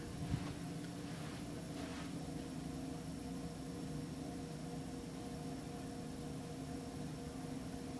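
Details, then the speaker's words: Kone EcoDisc 3500 lb elevator, recorded inside the cab during a ride: quiet, steady whir with a thin whistle and no clear rattle; the cab fan sounds noisy, and the rider suspects something rattling inside it. "someone's got a noisy fan you can hear the Chan something's rattling in there"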